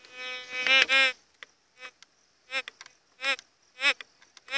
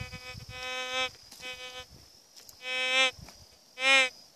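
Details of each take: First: GMT White's metal detector after a settings adjustment: sharp warbling beeps in short bursts as the coil passes a 10-centavo coin, quiet gaps between, no longer responding to the stone; normal target signal. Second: GMT metal detector swept over heavily mineralized ground and rock: buzzy warbling tones burst out about once a second. It is falsing on the mineralization.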